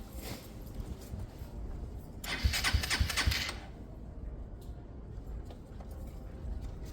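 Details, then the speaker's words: Motorcycle after a Hanway carburettor conversion, cranked with starting spray: the starter spins unevenly, then a short run of sharp kicks and chuffs for about a second while spark is audible; kickback while cranking, cause unclear. "I can hear spark. I can hear it sparking. That's weird. That back kick. That's weird."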